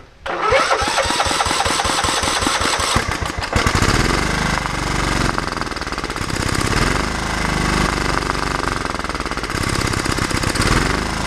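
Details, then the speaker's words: Cheap Scotts riding mower single-cylinder engine after valve cover off, fresh oil and Marvel Mystery Oil: starts, chugs unevenly, then ragged run with intermittent pops backfiring through the carburetor; owner suspects a burnt or stuck valve. "but it's still backfiring through the carburetor maybe a burnt or a stuck valve or something like that"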